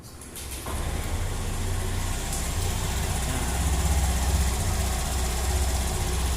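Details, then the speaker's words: Honda Beat scooter CVT after disassembly and reassembly; it had previously made a scratchy "srak srak" noise. It starts and settles into a smooth, steady low idle with no scraping or rattling; normal idle. "halus ya bunyinya udah halus. Enggak kayak tadi srak srak srak gitu ya. Ini udah halus, udah enak."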